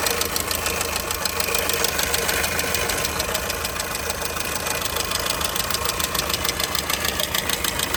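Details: Skoda Fabia 2002 engine knock: sharp, even knock at idle about three per second, clearly over the engine note; internal knock, source undiagnosed.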